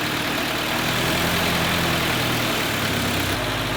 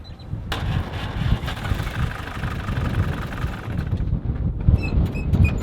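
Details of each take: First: 1948 Willys Jeep four-cylinder cold start: it fires and keeps running with a slightly uneven, lumpy beat, not ready to idle until warmed up. A normal cold start. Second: 1948 Willys Jeep after a makeshift spark plug cable repair: uneven, lumpy idle with a wavering low thump and a few clicks; excessive play in the distributor rotor causes rough running.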